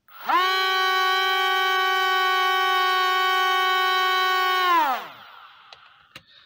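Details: C-17 Globemaster III RC plane (first of two), new control board fitted, still lacking lift: steady high electric motor whine at even pitch for about four seconds, then winds down; underpowered, owner suspects propeller wires.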